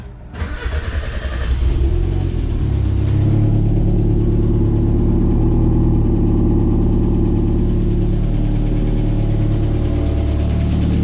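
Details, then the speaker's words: 1991 Mazda Miata with a built turbo motor, after suspension height and alignment work: catches after a rough few seconds, then settles into a steady even run with no misses or knocks. Runs fine; the alternator later failed. "but yeah man we're finally back to order so all right so car runs"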